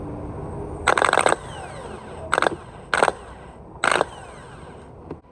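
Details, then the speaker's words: 2017 Honda Civic replacement starter bench-tested, jumped with power to the signal terminal: four clean, even high-pitched whirrs spinning up freely with gear pushing out, no grind; good starter, unlike the old one that spun without engaging. "so once i put once i touch the terminal in here the start is gonna jump that's being started good"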